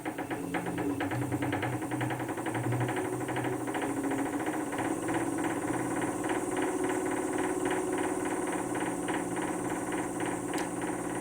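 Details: Wood lathe (VB36) running empty: sharp even ticking over motor hum, rising with speed, seemingly inside the headstock; owner first suspected bearings, but cause was misaligned drive pulleys, fixed with a 4 mm hex wrench.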